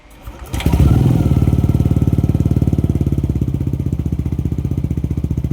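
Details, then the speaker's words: Yamaha NMAX 155 V2 test run after the cleaned magneto was refitted, before the body panels go back on: starts cleanly and settles into a smooth, even idle pulse of about 220 a minute with no misses or knocks; no problem found. "Bago ko pa nga ibalik ang mga kaha, inuugali ko na talaga na paandarin ang motor or testingin para malaman kung may issue pa ba."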